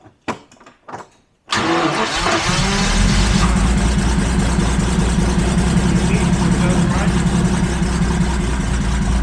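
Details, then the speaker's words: Abandoned Jaguar XJRS V12 on a makeshift fuel supply with timing off, possibly flooded: a short crank, then a rough, slightly uneven idle on priming fuel only. It dies as soon as the fuel pump is switched on; a fuel pressure issue is suspected. "When I get to get it running, I run over there and turn on the fuel pump and it dies immediately the second I get the pump on. So we do have a fuel pressure issue."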